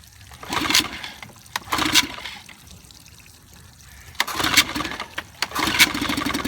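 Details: 1955 Evinrude 7.5 hp fleet twin outboard under restoration (new coils, cleaned/replacement carburetor, single-line fuel conversion): a few ragged firing bursts fading between pulls; catches briefly but won't stay running long enough to adjust the needle; cause unclear.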